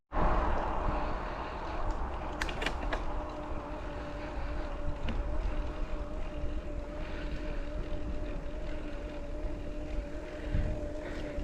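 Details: Mahle X35 hub motor (no crank gearbox) on Ribble CGR AL e e-bike, climbing in low gear, slow pedalling with motor doing most of the work: steady faint whine at one pitch under wind and tyre noise; very gentle, normal whir.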